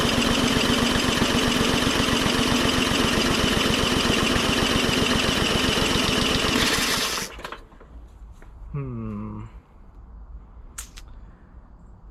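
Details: MTD 20-inch mower with Briggs & Stratton engine, previously hydrolocked with oil: steady fast cranking at about four strokes a second with no firing, then stops; spark present, blocked carburetor jet (later drilled out with #74 bit).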